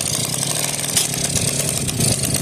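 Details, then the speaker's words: 1984 Suzuki Shuttle FA50 two-stroke scooter, started with starting fluid after air filter removed, choke on: buzzy high-pitched weed-eater-like idle, a bit ragged but keeps running. "right sounds like a glorified weed eater maybe like a 110 or something here we go"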